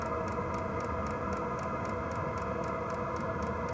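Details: Wippro 8kW all-in-one diesel heater from Temu, new, at start-up and self-priming: steady light ticking about four per second over a constant fan rush; the dosing fuel pump priming normally before the burner fires.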